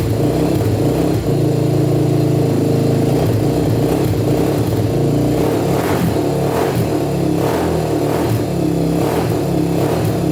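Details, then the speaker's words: 1987 Honda TRX250X quad with a 38 pilot and 120 main jet, first start: the single cylinder revs in quick blips with a thin, slightly uneven bark. It starts easily but sounds lean, so the main and possibly the pilot may need to go up. "well she started started right up no problem sounds like she's running a bit lean though so we might have to up the main and possibly the pilot"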